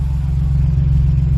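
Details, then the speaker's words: 2008 Jeep Liberty idling after muffler replacement, microphone held under the exhaust: deep, even rumble with a steady low tone and no rasp, rattle or blowing; quiet, healthy exhaust again compared with the failed muffler. "And see how quiet she is compared to when we had the problem with the muffler. Ready? Put it under here. Awesome. Sounds like her old self again. I like it."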